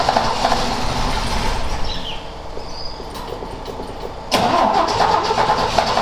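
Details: Ford XA Falcon, parked outside for a long time and not run, attempted restart with a hot coil and a poor distributor cap; engine catches, stumbles and fades almost to nothing, then picks up briefly as the float bowl runs dry: stalling from fuel starvation.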